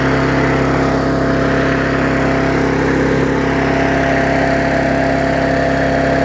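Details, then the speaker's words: Yard Machines mower after tune-up (auto-throttle unbent, carb diaphragm, air filter, oil change, blade sharpened): steady even drone at constant speed, no misses or surging, burning off excess fuel with some raw exhaust; normal running. "so it was running it had a quite a bit of fuel to burn off there admit it a little bit of raw exhaust out there"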